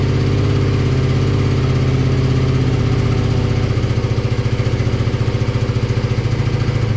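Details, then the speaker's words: Classic BMW R65 boxer twin (about 1983–84), on partial choke: even, steady low thumping at idle with no knocks or clunks, a smooth and healthy idle. The left side smoked, which the owner thinks is typical. "But the fact that it ran and idled and was smooth and, you know, didn't have any crazy clunks or anything is exactly what I was looking for."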